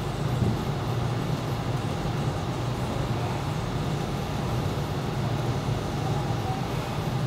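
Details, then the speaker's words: Ruud GPN 75,000 BTU 80% gas furnace blower running for AC on low speed: a smooth, constant low hum and airflow rush with no rubbing, ticking or surging; normal operation. "we're going straight to AC we're on low speed red on the cooling"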